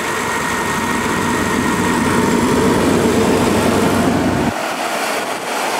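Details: Chevy S10 after GUNK motor flush, started after sitting two days: smooth, even idle with no top-end ticking; the earlier tick, once thought an exhaust leak, is gone, with good oil pressure.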